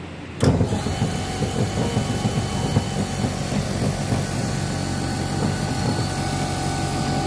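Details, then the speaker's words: Lab motor-generator set (separately excited DC generator setup), supply set to 220 V and single-phase AC at 100 V, main switch clacks on: steady even hum and whir, no knocks or rubbing; normal run. "Kemudian untuk langkah terakhir adalah untuk menjalankan kedua mesin ini, kita akan menyalakan main switch-nya."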